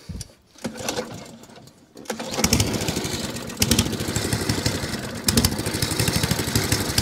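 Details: Echo 20-inch lawnmower started stone cold on choke with the carburetor primed, after a carburetor leak fix: a few pull-cord tugs, then it catches and settles into a steady, even single-cylinder patter; it runs fine.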